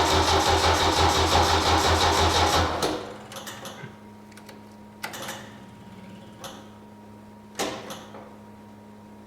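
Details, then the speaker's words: 1972 Saab Sonett, start attempt with battery flat and fuel low (fuel pump audible): after a burst of noise only scattered single starter clicks, no cranking; starter clicking, no start from flat battery. "as you can hear the starter is [Music] clicking is I got no battery okay I'm sorry about that I need to put the battery on charge"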